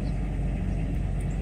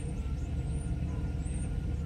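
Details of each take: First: Mercedes S600 coupe V12 after start, rpm dropped back to idle: low, smooth rumble with no misses or ticking, steady outdoors; engine idling evenly on all cylinders. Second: Mercedes S600 coupe, warm engine at idle: low, uneven rumble with a slightly lumpy, unsteady beat and no clear knock. Vacuum leaks present and the other engine mount is collapsed; cause of the rough idle unconfirmed.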